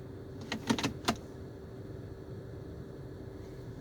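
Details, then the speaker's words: 2008 Dodge Avenger SXT, about 165,355 miles, warmed by 5–10 minutes of driving, shifted from park to reverse: steady idle hum with a few light lever clicks and no clunk at engagement, a normal shift. "there's no issues there's no clunks or anything when it shifts when you're shifting it with the with the shift knob"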